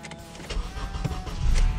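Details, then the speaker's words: Car that had a battery needing recharge, started after a jump and reassembly: a short starter whir builds into a deep, steady engine rumble within a second or two; it cranks and starts cleanly. "boom there you go start it up no problem that's a job well done"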